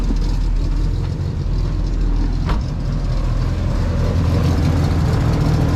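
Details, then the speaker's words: 1996-2000 Honda Civic swapped from D16Y7 to a JDM B20B engine on the stock ECU, first start with a check engine light and a possibly restrictive exhaust: a steady low rumble with even firing and no knocks or misses. "it is on it is running everything that i've shown you guys in this video i didn't hide anything i didn't take any shortcuts the car is running with the b series"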